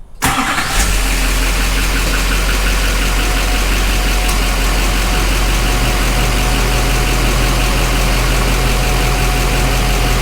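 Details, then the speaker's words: 2007 Duramax LBZ diesel starting right after fuel filter housing replacement (it had been losing prime overnight and sucking air, running rough): it catches immediately and settles into a steady, even idle clatter with no stumble; sounds healthy. "Sounds good and healthy to me. Let me know what y'all think."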